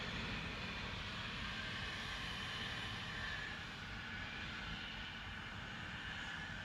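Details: Continuous loud steady hiss with low rumble, heard from a distance; Spooner Industries, Ilkley, 6 April 2021, 8.45am, recorded within a neighbouring property boundary, audible over 100m away; possibly escaping air or steam, unconfirmed.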